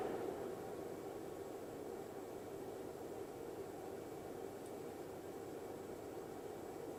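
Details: Rigol DP832 power supply after replacing the stock SUNON 80mm fan with a 92mm Noctua NF-A9 PWM on a 3D-printed 80-to-92mm duct: soft, steady whoosh, no ticking, rattle or whine; normal quiet fan running.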